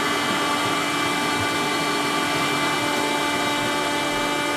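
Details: Worcester Bosch combi boiler whistling while hot water runs: a steady, piercing whistle with rushing water hiss.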